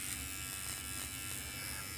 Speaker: Doesn't seem like it's having too much problem getting through the majority of the hair, though. I'll tell you that.